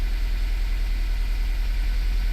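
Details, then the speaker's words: 2016 Honda idling with check engine light on, trembling with an uneven, stumbling, kicking pulse; engine misfire, one cylinder dropping out. "all right and the vehicle is missing it's trembling let's go around to the engine and you can hear that kicking right"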